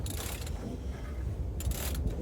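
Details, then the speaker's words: Simplicity lawn tractor engine turned slowly by hand in the cold, possibly frozen with water inside. Short scraping bursts come about every second revolution of the two-cylinder four-stroke, then it turns freely with no hard stop; the cause is unclear. "That's not a good noise. Yeah, we get a scraping and then we're good."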